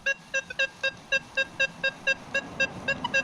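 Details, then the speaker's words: Nokta Legend metal detector in a test garden on multi-2 frequency at 30 gain over iron: crisp, clean beeps about four per second over a quiet background with no chatter. Clean iron target signal. "how good that sounds, this iron, right?"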